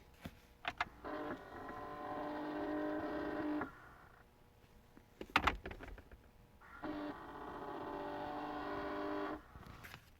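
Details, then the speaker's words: 2010 Chevrolet Impala recirculation/blend door actuator behind glove box after codes (B0223) cleared: quiet electric motor whirs about 2.5 seconds, clicks, runs again; recirculates when not on defrost, normal actuator operation. "just so long as it's not on defrost it'll recirculate so it's doing what it should be doing"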